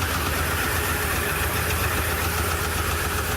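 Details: 2015 Ford Super Duty 6.2L V8, still misfiring after new plugs and coils: uneven, lumpy idle with an irregular shake in the beat; one cylinder dead.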